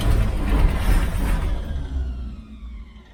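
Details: 1969 Chevy Van with one-barrel carb, off the road 35 years, in neutral: slow, low cranking thumps around three a second that fade without catching; turns over but won't start. Cause suspected, not confirmed.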